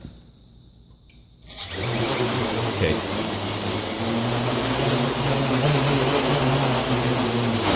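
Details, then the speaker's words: Quadcopter on INAV PID tuning stand, pitch P gain exaggerated to 25: high motor whine with a lower buzz wobbling about three times a second while hovering, oscillation from P set too high. "you give a stick and put it sis earn oscillates and that's because your pee is too high that sounds weird but so that the pee on the pitch is set way too high"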